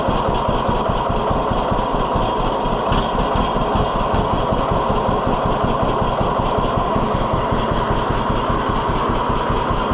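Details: 1948 John Deere B tractor after Wico X magneto maintenance: even, rapid two-cylinder popping, regular throughout with no misses or backfires. Healthy idle; it fires back up instantly, which the owner takes as proof the hotter spark helped.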